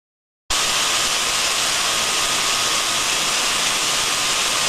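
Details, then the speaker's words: Contact ultrasound probe on a reduction gearbox: smooth, uniform, even hiss with no clicks, knocks or crackle; a healthy gearbox. "so we can hear from that that it's smooth and uniform okay and that's what we want to hear"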